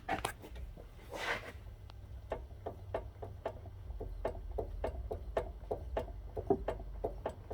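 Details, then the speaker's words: Car front suspension, steering wheel rocked back and forth, heard at strut top: light sharp clicks about three a second from brand-new cheapest online aftermarket struts the customer installed; faulty cheap strut knocking. "that noise that's from the struts the customer put his own struts in and they are the cheapest struts you can find online"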